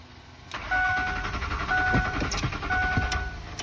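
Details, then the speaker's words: Ford 4.6 pickup that sat at a shop for months and runs poorly: uneven starter churning in bursts with door chime, engine never catches, starter struggling and battery going dead; fuel pump reportedly failed; crank, no start. "Nothing, man. That starter's not happy."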